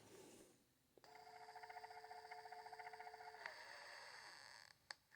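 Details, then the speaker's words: Ridgid subcompact drill driver, used only two or three times: steady motor whine with a fast fluttering chatter, then the tone drops out as the drill stalls; something in the gear mesh is binding, cause unconfirmed. "There's something going on inside of the gear mesh, and it's actually stopping the drill."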